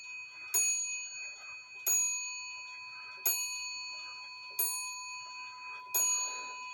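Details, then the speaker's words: Shelf clock, hammer wire bent off the wood, rehung on wall, out of beat: five clean, ringing strikes about 1.3 seconds apart, each decaying evenly with a clear pitch; healthy strike after hammer adjustment. "Again doesn't that sound a lot better"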